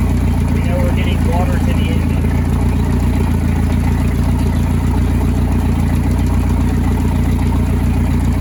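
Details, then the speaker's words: Starcraft boat, stored six months, janky hot wire battery-to-coil; after strong spark check, on water hookup it runs a smooth, even idle with steady low rumble, no misses or knocks, water coming out; normal idle, running very well. "[Music] see water coming out right here in this area it's a running very well as a very good Idol"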